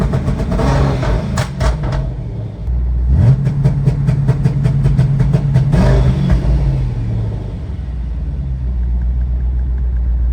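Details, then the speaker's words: 2011 Ford Mustang GT twin turbo with a newly installed N2MB two-step and WOT box. Clutch is in and throttle is floored with misfire logic off, and the limiter holds a fixed rev with rapid uneven popping and crackling. The launch limiter works, though misfiring is also noted. "So, it does work."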